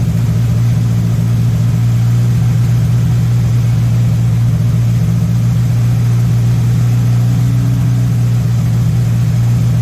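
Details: MK1 VW Rabbit with Weber 32/36 carburetor, no choke hooked up: steady, even drone, no dips or stumbles, idling high around 2000 rpm; idle-screw adjustment in progress, owner suspects a vacuum leak, later brought to about 1100-1200 rpm.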